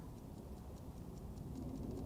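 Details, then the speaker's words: Vintage Howard Miller ship's bells clock after fixing a bent little wheel: crisp, even ticks at a steady beat, never sounded this good before. Movement running strong and healthy. "this thing sounds really good I think it's going to run now I'm just going to keep listening for a minute here and uh it sounds really strong it didn't sound never sounded this good"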